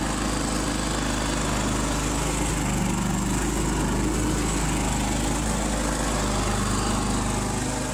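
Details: Harbor Freight Predator 3500 W generator, 1000 hours, just serviced (new spark plug, air filter cleaned, oil changed, spark arrestor cleaned): steady, even buzzing drone with constant low throb, no misses or surging; normal running.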